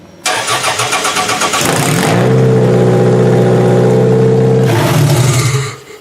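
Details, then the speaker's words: Demolition derby car, not run since February, started via a harness powering computer and fuel pump; cranks about six times then fires right up into a steady, even idle with no misses. "This car has not ran since February. Legitimately, it turned over about 6 times there and it fired right up."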